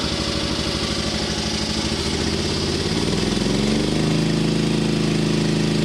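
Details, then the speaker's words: Hinowa tracked mini dumper petrol engine at first test run after refitting the hydraulic pump, fresh 5W-30 oil: steady run with a rough, gritty chatter rising with revs. Grinding noise; owner suspects the repaired fan wobbling and rubbing. "oh yeah there's definitely something grinding okay it sounds like the fan i fixed probably have a wobble in it and it's grinding a little bit"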